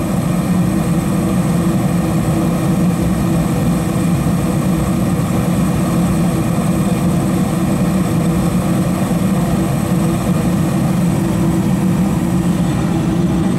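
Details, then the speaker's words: Two-stage furnace with variable-speed indoor blower, rechecked after reassembly following a thermal overload 4-blink code (now steady blink), stepping up from low to high stage: steady, even low roar of burner and blower, no rattles, squeals or surging; normal high-stage operation. "And, we're two-stage heating. As you can hear, we clicked up from low to"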